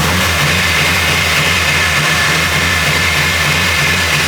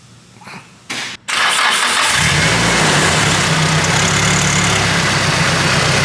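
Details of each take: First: Nissan Silvia S14 SR20DE with newly fitted turbo (stock DET manifold, GT2860RS), first startup: steady even drone that never climbs in pitch; engine won't rev past about 3000 rpm, no turbo noise heard, quieter than before. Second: Nissan Silvia S14 SR20DE newly fitted with a turbo (stock DET manifold, GT2860RS): brief cranking, then it catches and settles into a steady, even idle with no knocks, quieter than before; normal start, no leaks so far.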